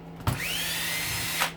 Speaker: With most tools nowadays, like your cordless drills even, you use them and let go and you hear ramp, ramp, and it's got the brake going on it.